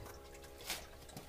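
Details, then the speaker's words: Solar thermal drain-back system, pump switched on by differential controller with collector much hotter than storage tank: faint trickling and scattered drips as water runs down the pump return line; normal drain-back flow. "this is the return line from our pump can you hear that trickling down okay that's this is our drain back system"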